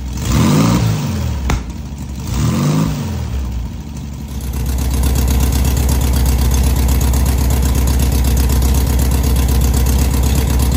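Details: 1970 VW Beetle air-cooled engine just rebuilt, first running, timing set statically: two quick revs rise and fall cleanly, then a steady, regular idle with no knocks; healthy, oil cooler not leaking.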